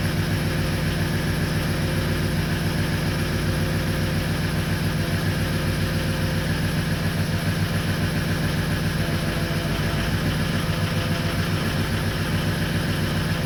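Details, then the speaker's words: 2004 Ford 6.0L Power Stroke diesel started only with ICP sensor unplugged: deep clattering idle with uneven lumpy pulse; rough idle from too much injection control pressure at idle, about 1400-1500 psi. "you know because unplugging that ICP sensor will get this thing to start now granted it doesn't run great because you got too much pressure um at idle"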